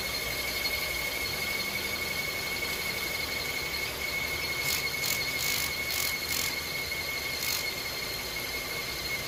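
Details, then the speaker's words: Hyundai Tucson running: constant high thin squeal over a quiet engine, not changing with speed, for weeks; owner suspects the crank pulley after soapy-water spraying. "That's the noise that it's been bugging for the past few weeks."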